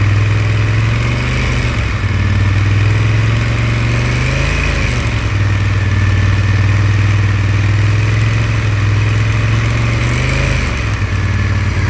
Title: rattling noise aftica twin 1100